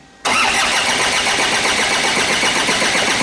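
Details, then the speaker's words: 2009–2010 Ford Ranger (Mazda BT-50) 3.0 L common-rail turbo diesel, restart after it had run on starting spray: steady, even cranking that never fires; it cranks but won't start and needs spray again. "And it doesn't start."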